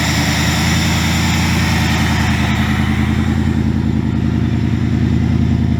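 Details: 2000 Ford Mustang GT with a Lincoln Mark VIII 4V swap engine, idling after fixes for earlier sputtering (intake air controller change, ECU board cleaned with electrical cleaner). Deep, steady V8 idle with an even lope, no misses, stumbles or surging: normal idle.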